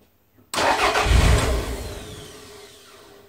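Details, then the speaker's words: Toyota MR2 start-stall diagnosis, voltage probe on the igniter IGT terminal during cranking: brief crank catches into a short burst of running, then dies within about three seconds; small climbing IGT voltage seen, a pass; stall cause still undetermined. "So we did see a small voltage, and it was climbing, but it wasn't running for very long, was it?"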